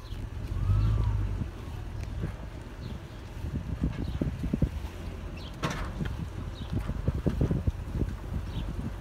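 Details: Toyota Land Cruiser 100 series with Icon Stage 1 suspension, heard while driving: irregular sharp clunks and knocks over a steady low road rumble.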